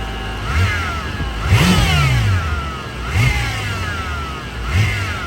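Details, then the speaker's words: BMW F10 M5 with the S63 4.4 twin-turbo: a high whine from the engine bay sweeps up and down with each rev and also appears when steering. Power steering is suspected; the whine remained after a fluid flush. "So you definitely hear the whine on the rev up as well as when we're turning the wheel. We're anticipating it could be just power steering related."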